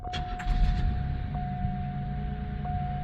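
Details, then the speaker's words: LN3 3800 V6 after replacing the failed harmonic balancer (crank pulley), hot garage: quick start settling into smooth steady low idle with no knocks or wobble; sounds good, before switching AC on. "Well, that sounded good."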